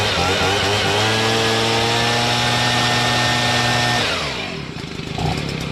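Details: Stihl BG55 two-stroke leaf blower after carburetor replacement and adjustment. A high buzzy whine holds steady revs, then winds down cleanly when the throttle is released. Normal running.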